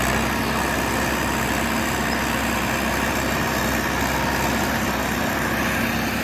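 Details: John Deere 450C bulldozer diesel, warmed up after reassembly, relief pressures set and fluids topped off, backing out of the shop: a steady, even drone with no knocking, grinding or speed swings; normal.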